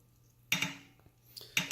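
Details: Brand-new Wahoo Kickr 2018 bike trainer, second ride: sharp paired clicks about once a second over the hum, louder when warm, from the flywheel shifting on an undersized key; tightening the bolt (not over-tightening) stopped it.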